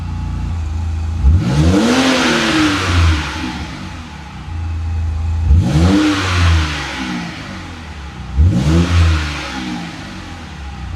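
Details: Junkyard BMW E60 just fitted with a new Flashark dual-tip catback exhaust, expected to be slightly louder than stock: three quick throttle blips climb cleanly from idle and drop back with a deep, even rumble; healthy engine and exhaust.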